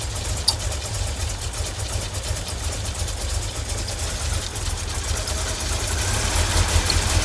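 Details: 1989 VW Vanagon 2.1 WBX: a low, uneven, stumbling misfire-type idle after new fuel hoses and a new fuel pressure regulator were fitted. The owner suspects poorly seated injectors, unconfirmed.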